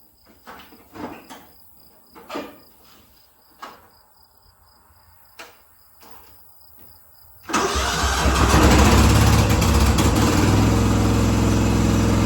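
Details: 1976 John Deere 300 tractor being jump-started after a dead battery. Scattered clunks and clicks, then the engine catches suddenly and settles into a steady, loud run with no stumble: normal start.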